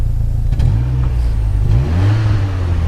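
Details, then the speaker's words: 1986 Saab 900 Turbo coupe, 5-speed, revved when cold on a very cold day: crisp blips rise and fall cleanly with the throttle, no knocks, rattles or misses; vapor from exhaust is just condensation, not smoke. Normal revving. "Go ahead and rev it up a little bit."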